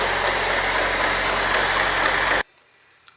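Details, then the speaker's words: Chevrolet Corsa Wind petrol engine idling after a 130 km trip: a light, quick tec-tec tapping, at first feared to be the camshaft, suspected to be the water pump bearing (replaced six months earlier) and the timing belt tensioner. "então com certeza o rolamento da bomba d'água de colo e da justiça aqui está amarrada acho que está atingindo um pouco não sei se dá para escutar zoado aí"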